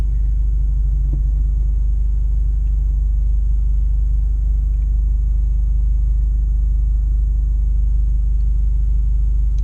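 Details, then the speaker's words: 2012 Honda Fit at idle with AC on, newly fitted Beatrush stiff engine mount and Spoon rigid collars: low, even drone and steady throb filling the cabin; idle vibration from stiff engine mount. "wow i could really hear the vibration now like when it's idling it feels like it's breaking in actually right it wasn't as bad as when we first started"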